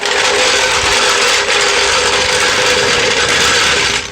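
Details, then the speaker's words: Conventional floor jack rolled across the ground in a residential area: loud continuous metallic clatter and rattle from its wheels, stopping abruptly; normal, just very loud and annoying. "You can see and tell it's very loud, okay, and it's super annoying."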